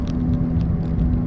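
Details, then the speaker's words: Car accelerating on the road: low, steady drone with a faint hum over road rumble, like a transmission not shifting; owner suspects worn right rear wheel hub assembly bearing, also noting strange tire wear; not confirmed. "it's a weird noise it sounds kind of like your transmission is not changing gears but can you hear that"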